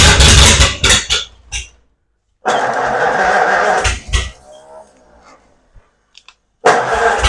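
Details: 1936 Ford Flathead in a belly tank racer, first start after a new starter, plugs, fuel pump and carb rebuild, no cooling water hooked up. The engine catches and roars loud, cuts off, then fires and revs strongly again; running properly.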